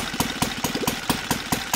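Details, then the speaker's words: OS FT 300 converted to gasoline with CH ignition, Xoar 21x8 prop, target idle 1200-1400 rpm: slow, loping idle at about four to five soft pops per second, burbly, low-speed mixture too rich. "rich condition and it's gonna work a little bit but I think it's gonna go over pretty quick before I try another spot"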